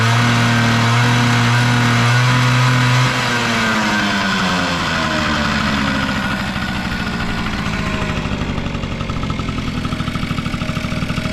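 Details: Vintage Honda Squash (AB11-1064) 12V scooter with electric start, revving: single-cylinder engine revs up and settles with smooth, even firing and no knocks or rattles; no abnormal engine noise, normal revving.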